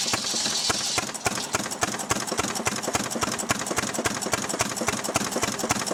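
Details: Restored 6 hp Fairbanks Morse Model Z stationary engine running on kerosene, driving a buzzsaw cutting firewood: sharp, even firing beats about three and a half per second with light clatter on top, smooth; normal, healthy running under load.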